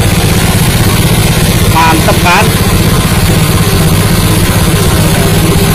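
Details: New Honda WL30XN 3-inch water pump with Honda GP160 5.5 hp engine: steady, even single-cylinder chug at constant speed with no knocks or misses; running smoothly and healthy.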